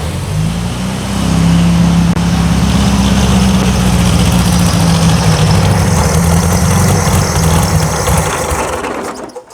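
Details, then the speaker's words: 1976 VW Super Beetle: low, lumpy running that won't rev up; owner suspects lacquer or debris in the carburettor jet and plans to swap the carburettor. "Yeah. She won't even take She won't even rev up. There's crap in this carb."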